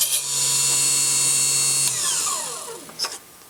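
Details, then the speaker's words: Cheap mini table saw with a roughly 3-4 inch blade and 1 inch maximum cut depth, cutting a thin piece of wood of about 3/16 inch: steady high whine holds evenly through the cut with no bogging or chatter, then winds down smoothly; very smooth cut, good blade. "the cut looks very smooth it is very smooth didn't disrupt anything there's no frame that's a good blade"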